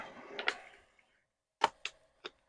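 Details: Commodore PET 4040 IEEE dual disk drive, powered on with the original chip reinstalled and board lifted, IEEE cable attached and program run: a few sharp irregular clicks and a brief whirr with quiet gaps as the heads seek; drive reading normally.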